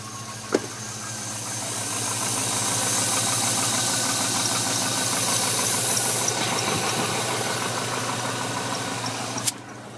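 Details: 2006 Chevrolet Trailblazer SS with LS2 V8, cold start idle: steady regular knock about three per second; owner says it isn't piston slap and the knock gets louder as the engine warms up.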